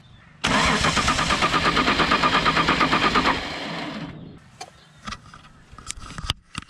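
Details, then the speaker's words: Holden VL Commodore cranking: about three seconds of fast, even starter cranking with no firing, then silence; no fuel out of the external fuel pump though fuel reaches it, so the pump is suspected. "undid that fuel line coming from the external fuel pump no fuel the one going into it has fuel so i think the external fuel pump is the problem"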